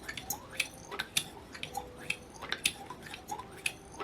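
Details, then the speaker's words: Graupner/OS 4.9 cc (.30) Wankel model engine, apparently never run, turned over by hand. Slow uneven hiss and light clicks. Compression sounds even and healthy. "That's exactly what it should sound like when it's in good condition."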